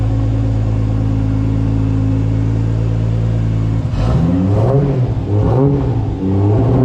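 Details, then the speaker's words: Top Secret Supra GT300, second run after engine rebuild, still to be run in before dyno tuning: steady, even, deep idle, then clean free-revving blips rising and falling without misses; healthy. "we're gonna do a few hundred kilometers running in the engine but this thing is purring like a kitten"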